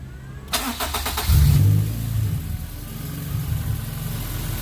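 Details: Tuned car with freshly cleaned, flow-tested fuel injectors, restarted to confirm the fix: quick crank, clean catch, brief rev, then a firm, steady idle with no misfire. The 3,000 rpm lean spike, present since the first tune, is gone; a retune is planned to check.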